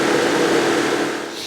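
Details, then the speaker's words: Salvage Fiat 500 warmed up about 10 minutes before an oil change: loud steady whoosh of the radiator fan, low speed at first, then stuck on high for the last 5 minutes; owner and viewers suspect the thermostat. "lot of noise because the fan is running at full speed as you can hear it was going C low speed and the last 5 minutes it's been going at high speed"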